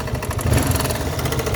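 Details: 1981 Yamaha XT 250 just acquired, single-cylinder thumping at idle with a sharp metallic knock riding each firing pulse; engine knock, cause unknown.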